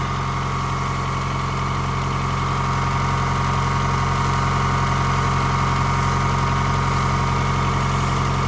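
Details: 2023 Tata bus AC engine started after its E1 and EP faults were cleared and gas filled: steady, even diesel idle with smooth low thrum, no knocks or misses; normal idle.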